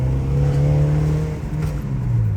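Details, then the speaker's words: Honda Civic SiR with freshly rebuilt B16A engine (81.5 mm pistons) on its first drive: clean, even rise in engine note under acceleration with no knocks, ticks or rattles; quiet, normal running after rebuild. "see it sounds really good it's not too noisy so that's that's the typical car that I want"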